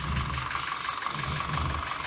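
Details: 2014 Audi Q5 2.0 TFSI with codes P0506 and P0300–P0304. Choppy, uneven idle with a faint rattle, heard after the intake valves were carbon-cleaned. It is a misfire from a vacuum leak at the rear main seal, found by smoke-testing the crankcase.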